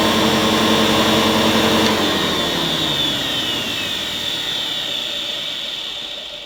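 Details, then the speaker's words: Hoover 725 vacuum cleaner, at least 93 years old, first switch-on despite a damaged fan: high steady motor whine spins up then winds down evenly on switch-off, no grinding or rattle; motor runs smoothly. "Oh, I've never been so relieved in my life. Despite the fan being damaged, that motor sounded pretty smooth."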